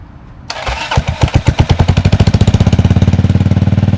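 Engine catches after cranking and settles into a fast steady beat with light ticking on top, a cold-start click from the primary side.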